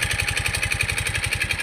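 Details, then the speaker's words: Yamaha Mio i 125 scooter engine that ran low on oil and lost power, before repair: fast, even knocking about twelve times a second over a buzzy idle; engine knock from oil starvation. "Ayan. Natuyuan po siya ng langis. Natuyuan siya ng langis."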